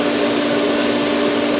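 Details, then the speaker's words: Pool pump in filtration mode filling the solar heater, camera leaning on the pipe: steady motor hum with rushing, hissing water and no settled flow; pump still running before it primes. "Is filling the solar. It's going to take a moment or two."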